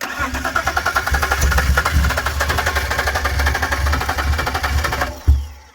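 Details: BMW 328i with suspected wiring problems: steady starter churning for about five seconds with no cylinder catching, then it stops; crank no start.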